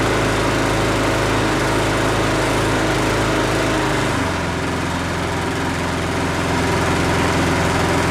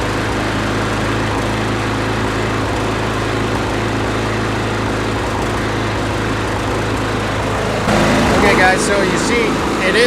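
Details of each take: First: Husqvarna 510 MD push mower that had hit something with its blade, running after the flywheel key was replaced. Steady, even drone at a constant speed with no stumble; slight vibration remains from a small crankshaft wobble. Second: Husqvarna 510 MD push mower that had hit something hard with its blade, pull-started before repair. Ragged, sputtering run and visible shaking; the ignition timing is suspected to be out from a sheared flywheel key.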